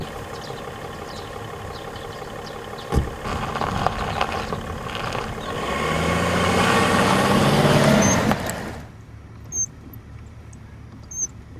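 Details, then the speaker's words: BMW X5 E53 while driving: faint high whistling squeak from the lower steering column near the rubber boot where the shaft exits the body, audible inside and outside the cabin over road and engine noise; binding steering shaft universal joint causing the steering to stick. "также добавлю что один из симптомов это свистящий звук в нижней части рулевой колонки в районе резинового манжета который выходит с кузова автомобиля как внутри салона так и с наружной части салона данный свист хорошо слышно во время движения"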